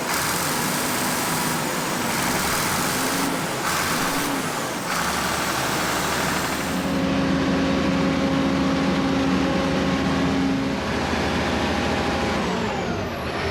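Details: 1965 Allis Chalmers TL645 loader, turbo 6-cylinder AC 3500 diesel, first run after 10+ years with a cleaned Stanadyne injection pump: steady, even clatter and a firm low rumble with no misses or knocks, running properly on its own.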